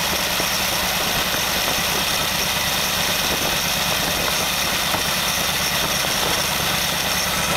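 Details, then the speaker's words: Very old stock Studebaker 259 V8 with AFB carburetor and new Evans intake, first start, idling about 700 rpm: steady idle with a loud, hissy metallic rattle constantly over the top; loose water pump rattling, to be fixed. "apologize for the noise I've got a loose water pump up here which has a rattle in it and that's I'll fix that you coming days"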